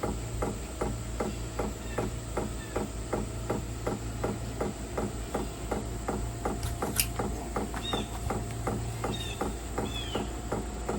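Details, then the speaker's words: 2025 Vevor diesel heater, new, starting up: crisp, even ticks about three a second over a low fan hum as the pump begins drawing diesel into the system and the heater cycles up; normal dosing. "Oh, it's starting to knock. So, it's starting to take fuel in. It's starting to get that diesel down into the system."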